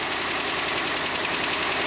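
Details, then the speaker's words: 2017/2018 Ram 1500 that squeaks on startup, with the serpentine belt and pulley suspected and to be replaced: a thin, steady high-pitched squeal over a hissy idle. "Uh when it when you start it, you can hear squeaking sounds. So most likely this is serpented belt issue."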